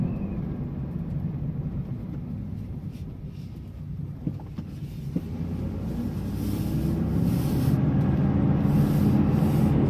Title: 2002 dodge dakota bad wheel bearings